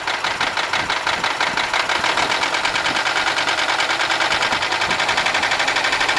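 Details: 1995 Buick LeSabre 3.8 V6 idling with a steady sharp metallic knock, about three per second, also heard at the tailpipe, seeming to come from the left side; owner suspects valvetrain knock, not confirmed.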